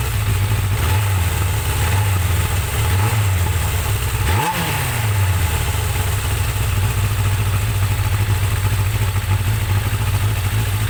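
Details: Suzuki GSX-R 750 "slabbie" motorcycle after repair work, float bowls drained, fresh super unleaded with Silkolene Pro Boost, already ridden: steady, even idle with one quick throttle blip settling straight back; runs smoothly.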